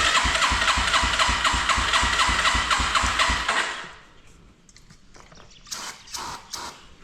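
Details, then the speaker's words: 1987 Yamaha TW200 no-start: starter-driven chug near four per second with one brief catch, then stops without running despite contact cleaner sprayed in intake; may not be a fuel issue. "All right, okay. May not be a fuel issue. It kind of hit there at the beginning though."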